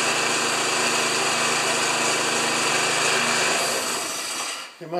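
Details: Old Briggs lawn mower with power-rake thatcher after replacing thatcher springs, set a quarter inch above the grass: steady, even buzz at constant speed for several seconds, then winds down at shutoff; runs smoothly.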